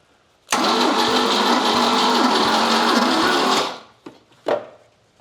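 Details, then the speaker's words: 1979 Volvo 242GT engine, sat 10 years in a barn, cranking during a compression test (readings 60, 100, 75, 100) on a battery given little time to recharge: slow uneven dragging crank; weak battery. "Not really giving us a lot of time to charge back up, but getting a couple of cranks out of it."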